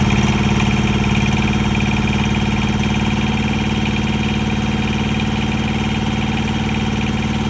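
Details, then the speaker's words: Mack truck APU small diesel, fresh oil, fuel and air filters and a newly fitted fuel pump, now heard pumping: catches and settles into an even chug of about four beats a second without stumbling; normal running. "oh I hear I hear it pumping I didn't hear that before that's definitely new"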